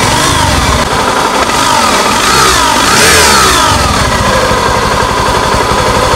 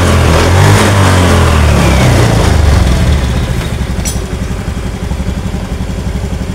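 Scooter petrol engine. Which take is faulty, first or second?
first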